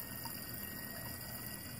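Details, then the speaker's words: BMW electric water pump after repair: quiet, even whir that speeds up a little, with coolant flowing smoothly; the repair cured the radiator fan stuck on high. "we've already gone ahead and repaired this one so you can also see what happens after it speeds up a little and is working successfully"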